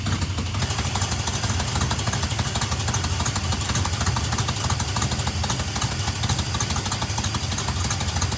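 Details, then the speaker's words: 1971 Plymouth Satellite 318 V8 with newly fitted Thermoquad carburetor, secondary pull-off rerouted to manifold vacuum: uneven loping idle, lumpy beat about three per second; rough idle, checking for vacuum leak around adapter with brake cleaner, idle mixture being adjusted. "I'm going to use a little brake link, see if I've got a little vacuum leak around that adapter, because it's running really rough."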